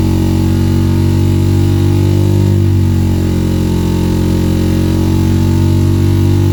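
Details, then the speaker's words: 1984 Mazda RX-7 GSL just after a swap to a used rotary engine with better compression: heavy, deep drone with an uneven, lumpy undertone; running on one rotor, owner suspects carburetor issues with no fuel reaching the rear fuel bowl. "okay got the swap done on the gsl it's having some carburetor issues so unfortunately it is running on one rotor best i can tell it's not getting fuel in the rear fuel bowl so we'll need to figure that out"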